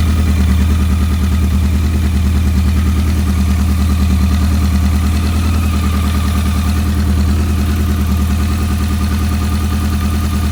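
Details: BMW K100 with a dirty #4 injector plug that caused a no-start: steady, even four-cylinder idle, smooth low drone, no misses or stumbles; normal idle.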